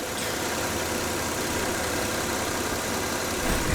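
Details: 2008 Kia Sportage after transmission swap, warm with radiator fan not yet on, weak battery: smooth even warm idle, steady low hum, no knocks or misses; engine running fine.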